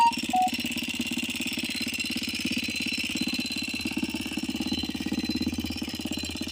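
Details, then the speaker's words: 2022 DM 250X single-cylinder motorcycle, fully warmed up: a fast, steady tapping rides over the idle and doesn't fade even though the lifters should have pumped up. A persistent top-end engine knock; the source isn't pinned down yet. "prende, se mantiene, pero le sigue el ruido acá."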